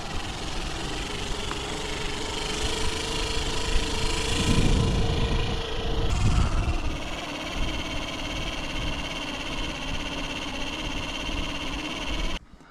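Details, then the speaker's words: Bafang BBS02 mid-drive motor converted from 48V to 72V, during a ride: rough, droning grind with an uneven beat under the motor hum, caused by magnets coming loose off the rotor. "whoa whoa we're getting a weird noise oh what's that what is that noise is that the motor the motor was kind of like breaking down perhaps in more ways than"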